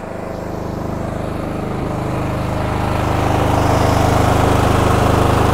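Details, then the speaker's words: Cub Cadet GT2 LX42 lawn tractor, 22 hp twin, customer complaint surging and hard starts: twin chugs with an uneven, lumpy beat as one cylinder fires only half the time; intermittent misfire traced to a faulty ignition coil pack. "so we are getting intermittent firing on one cylinder we certainly can see now that that cylinder is not working half the time"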